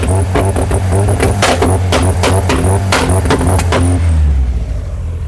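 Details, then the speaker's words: Rover K-series engine in a Skoda Estelle 120, revving: engine breaks up with irregular sharp pops and stutters above certain revs as the spark disappears; trigger wheel and crank sensor lose contact, moving the wiring makes and breaks it, a crank sensor wiring fault. "And it's doing exactly that, yeah. The spark disappears. That's an interesting one. So over a certain revs, the trigger wheel down there isn't talking to the crank sensor or vice versa."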